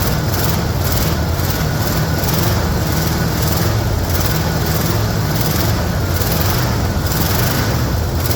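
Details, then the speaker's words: 1974 Ford F-250 farm truck, 460 V8, not run in a couple of years, started after 10–15 pedal pumps: deep, loud, steady rumble with an even beat, no misses or knocks; normal idle. "oh listen to that old girlfriend no one's going to be excited if they plug in their old car and see if it runs in 50 years but that was pretty good she hasn't run in a couple of years well it was a 10 15 pumps and she started it right up"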